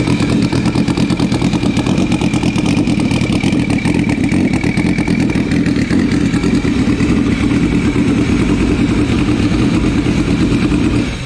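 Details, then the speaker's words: Turbo Sea-Doo RXP-X 260 after engine rebuild and new injectors (all three old ones stuck closed after sitting open two weeks): fires right up, steady even idle, clean rumble, no misses, then shuts off cleanly. "so i went ahead and bought new injectors threw them in and now you guys could hear it start after i find the key"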